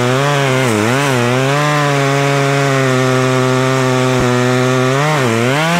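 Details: Poulan Pro two-stroke chainsaw, owned about 12 years, cutting a log after seasonal clean-up: strong steady scream sags briefly as the chain bites and recovers cleanly, with popping the owner likes; normal running under cutting load.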